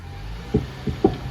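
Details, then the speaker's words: Car with no park, no reverse and no forward gears: three sharp pops over a low idle as it is shifted into gear, with a loud noise in reverse and grinding back into park, from a broken CV axle. "Hear that noise? It's got a loud noise when you put it in reverse."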